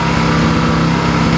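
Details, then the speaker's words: Yamaha EF1000is generator in econo mode, just started cold with choke on: small single-cylinder hums at a steady, fairly loud pace with no misses or surging; normal cold running, will quieten once warmed. "it doesn't run 100% for at least a couple minutes. So once it gets fully warmed up and the actual choke comes off, this thing will get quieter and quieter and quieter."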